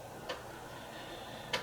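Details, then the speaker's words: Commodore Amiga 1200 floppy drive (previously temperamental, hit-and-miss) running a full-disk read test after repair: two crisp, isolated head-stepping clicks about a second apart over faint hum, with a slow spin-up at startup; normal, healthy head stepping. "and it's reading the tracks and don't worry about this slow speed up at startup sorry um you get that on some amiga drives"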